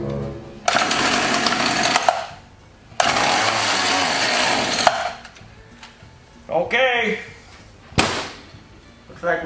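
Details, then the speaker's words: Echo HC-1600 two-stroke hedge trimmer that sat a long time, choke closed and primer pumped: catches and rattles briefly, cuts out, fires again and dies. Carburetor fault, a gummy carb with a failed diaphragm. "Looks like we gotta go into the carburetor. It's carburetor time."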